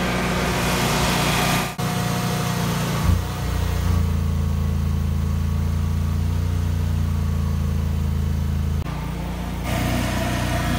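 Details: Generac 22kW gas generator on a simulated power failure with the water heater switched on as load. The low drone drops and recovers in steps every few seconds as the overloaded engine hunts for speed. The owner first suspected fuel starvation from the gas regulators, but that was wrong.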